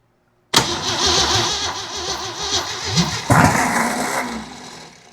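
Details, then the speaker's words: Jeep CJ7 258 inline-six with unfamiliar new-looking carburetor, empty tank: starter grinds it over with uneven bursts and brief coughs, oil pressure building, never settles to idle; cranks but will not start. "What a piece of junk. Ah, [sighs] why are you not firing now?"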